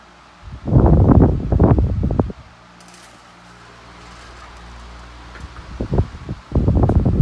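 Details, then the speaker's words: Collector's first trash-find fan, acquired September 2020, on high with oscillation switched on; fan hum broken by loud clattering knocks every few seconds as the oscillating head swings into the bench behind it; fan striking a nearby object. "Whoops. It was hitting the bench behind it. Still is."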